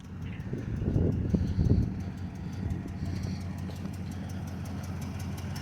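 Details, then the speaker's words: Dodge SRT8 V8 idling with a fast light tick, two or three per second, following engine speed; not the motor or lifter but an exhaust leak audible under the vehicle, unrepaired. "but like i said that that tick is not the motor so um it's the exhaust"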